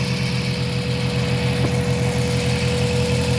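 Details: Mazda 3 gasoline engine at idle: an uneven, lumpy pulse of about three or four beats a second over a low hum, the engine running rough; misfire suspected, not confirmed.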